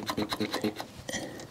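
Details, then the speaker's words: 1972 Rover P6 2000 mechanical fuel pump, diaphragm previously replaced, hand-primed while owner worried about insufficient vacuum: quick rasping strokes several per second then softer hiss; pump priming and moving fuel normally. "i was worried it wasn't getting enough vacuum through um but it sounds like it's doing pumping"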